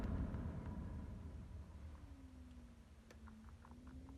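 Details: BMW 3 Series F30 heater blower motor after removal, lubrication and reinstallation, ignition on: a quiet, even rumble with a faint hum; the earlier whistle and squeak are gone.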